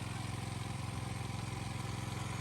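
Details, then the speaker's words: 4000 psi petrol pressure washer with a triple ceramic plunger pump, water on, with a big leak between pump and manifold. Rapid lumpy pulsing over the engine drone, about seventeen throbs a second. The owner suspects one piston is bad, so the pump runs on two cylinders. "pretty sure one of those Pistons inside the pump is bad a fair bit of power only on running on two cylinders I reckon"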